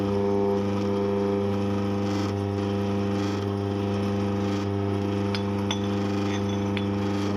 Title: Eureka Mignon Single Dose Grinder - Vibration and noise problem